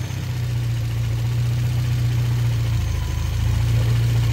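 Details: Renault Clio RSi abandoned for months, started by jumping the starter solenoid after a no-crank from the key; steady, even low idle hum with no knocks or misses; normal idle.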